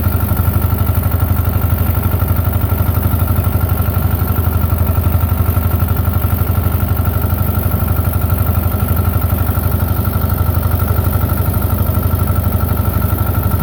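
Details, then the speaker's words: Belarus 250 tractor, 2-cylinder air-cooled diesel, sat for years, running again; deep steady chug about four beats per second, no misses; normal running after repair. "all right we got it back running I am tickled I'm tickled for the guy"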